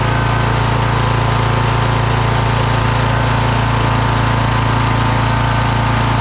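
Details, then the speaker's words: Craftsman DLT3000 lawn tractor engine at idle: low drone with an uneven pulse about three beats a second. Full throttle is fine but the idle is really rough. Valves are adjusted, carb cleaned twice and fuel system cleaned; the owner suspects the carb, possibly the head gasket. "I'm happy with full throttle. But listen to this idle. That's really rough."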